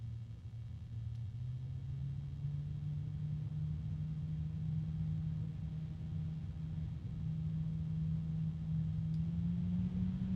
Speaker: so we're going to listen to it little bit noisy with a a hum I think some people might find that a bit unpleasant